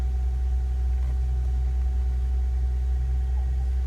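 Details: Mercedes-Benz C240 just after fuel pump replacement cured a crank-no-start: smooth, even low rumble with steady hum, no knocks or misses; normal idle.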